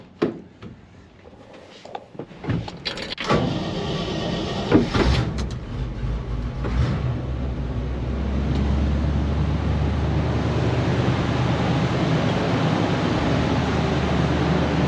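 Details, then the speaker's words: 1960 Chevy Apache short-bed fleetside pickup with a 305 V8 from a Monte Carlo and an SM420 four-speed. After handling and door noises, the engine settles into a steady, even low idle with no knocks or misses. It runs fairly well: normal idle. "I could go ahead and start it up for you. It actually runs fairly good."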